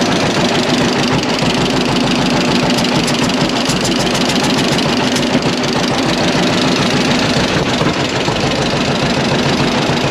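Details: Antique John Deere Model A (36 model) two-cylinder barn find, hand-started by flywheel with compression release and choke, after valve/tappet clearance adjustment: slow, even pop-pop idle, steady rhythm, no misses; running healthy.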